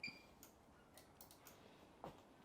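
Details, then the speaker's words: Bosch dryer not spinning, start pressed with the panel off: a few faint, sharp relay clicks from the main board show it is working and signalling, while the motor controller stays silent, identified as the fault. "and I could hear the clicks on this one you can hear the clicks on this one that means this board's working it's sending messages over on the other one"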